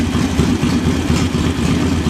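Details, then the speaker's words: Carburetted engine at normal idle after installing a JS flatside carb and setting the idle mixture screw about 1/4 turn out; revs up and settles back to a steady, even idle with a regular low pulse, no stumbling or hunting. "Sounds fine where it is, so I'm going to leave it. Rev it up and it settles back down to an idle. Sounds good."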